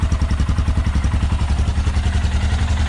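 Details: Royal Enfield Himalayan after exhaust manifold gasket replacement to fix abnormal engine noise, power loss and backfiring: even, deep single-cylinder thump about two and a half beats per second, clean with no ticking or leak puff.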